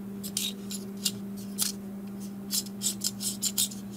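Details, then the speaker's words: Dell Latitude E6420 laptop fan: steady hum with irregular sharp plastic ticks and scrapes every few tenths of a second; a broken plastic piece was found inside the fan, blades intact, noise not normal. "See, even now, see, do you hear the noise? That's not normal."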